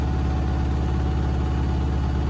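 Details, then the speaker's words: Beko WTK104121A 10 kg washing machine, Cottons 40° Fast+ programme, balanced load ramping to 1400 rpm spin: deep, even drum drone with no thumping or wobble; normal. "There you go, look, that's going to stretch to 1400 RPM now."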